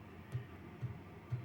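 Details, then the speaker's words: HCalory 5kW Chinese diesel heater in a workshop cabin: soft, regular ticks about twice a second over a faint hum, the fuel pump pulsing fuel into the combustion chamber at its set rate; normal operation. "the number of Hertz that it's pumping the 22 millit of fuel into the combustion chamber so you can actually hear it going tick tick tick tick tick tick tick tick tick tick tick tick tick tick tick tick tick tick tick tick tick tick tick like that"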